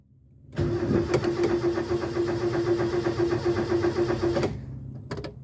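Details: Mk1 Ford Escort with a carburettor, not run for six to seven months, right after its first start: it catches and runs lumpy and uneven for about four seconds, then dies abruptly; stalls at idle.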